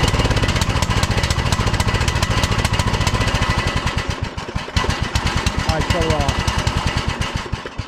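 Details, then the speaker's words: 2006 Troy-Bilt Pony lawn tractor single-cylinder on a cheap Amazon replacement carburetor, restarted and brought from low to idle and back up: fires unevenly, stumbling and fading toward idle; only the idle mixture screw adjusts; owner suspects a bad carburetor. "well, there's only that one adjustment on this carburetor, so I guess maybe I got a bad cheap carburetor off of Amazon, cuz that's the only adjustment is the idle mixture screw right there."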